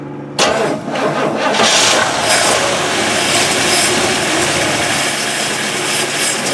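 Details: 1965 Oldsmobile Cutlass started after sitting six years, using an electric fuel pump wired to the battery: a brief crank, then it catches at once into a steady, smooth, quiet idle. It starts healthy.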